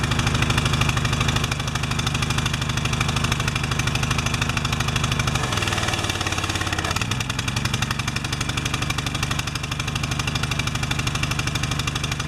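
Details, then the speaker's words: Pressure washer small engine, new air filter, fresh oil, cleared clogged bolt, automatic choke: uneven, lumpy putter changing note partway as the choke releases late; bimetal strip choke slow to release, later adjusted. "Now it should just start up. Come off choke on its own."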